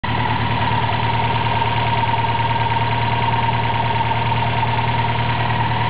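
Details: Toyota 4AGE small-port with T50 gearbox, idling just after a clutch replacement: thin constant whine over a slightly uneven beat; weird noise, not the water pump or alternator bearings, cause unknown.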